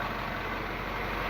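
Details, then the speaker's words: Peugeot THP petrol engine after a basic oil change: steady, even, smooth idle hum, no clatter or ticking; normal idle. "motorzinho PHP Redondo ligando Sereno sim sem som grave né"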